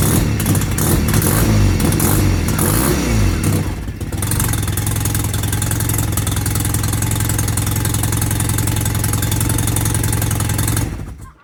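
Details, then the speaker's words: Mazda FD RX-7, cold start and revving: loud, ragged, blatty, raspy exhaust note; exhaust leak from an open hole where a previous owner had loosely pushed an unconnected O2 sensor. "All right, so I don't know if you guys could hear that over the chickens going crazy in the background, but we have got a massive hole, like literal hole. Like it's a straight up hole."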